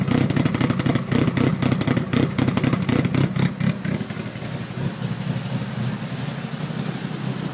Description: Evo 1 4g63t Fully Forged 264cams rough as hell idle